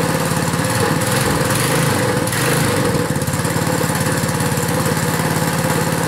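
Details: Small single-cylinder pull-start engine, cold-started after hard pulls, settles into a steady, even putter and runs on its own without stumbling; normal running.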